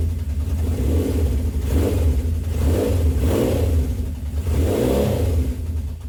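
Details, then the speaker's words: 1970 Honda CB750 K0 four-cylinder, just brought back to life after about 30 years unused: deep burbling exhaust swelling and dropping through several throttle blips, still slightly uneven; running, needs more fettling. "We seem to have a runner now. It'll need a bit of fettling still."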